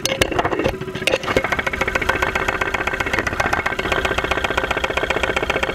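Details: 2001 Saturn SL2 run with very low oil and unused for two months, heard up close through a stethoscope microphone at idle with 35-40 psi oil pressure: a rapid, fairly even tapping knock keeping time with the engine. Cause unclear.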